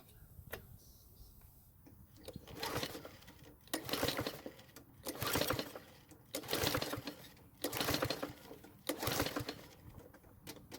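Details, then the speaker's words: Curbside Toro mower, 95 psi compression, fuel poured into the cylinder: repeated cranking bursts about every 1.5 seconds that never fire; owner suspects flooding, will check for a sheared flywheel key. "unfortunately it did not start yet again my guess is that i flooded the engine from all my repeated attempts to start it"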